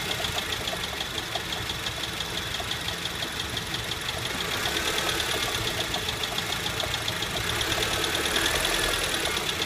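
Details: 2008 Honda Civic at idle after light revs: rapid, fairly steady knock, about three per second, at its worst so far; it is a failing AC compressor bearing, not the bottom end, and the compressor was later replaced.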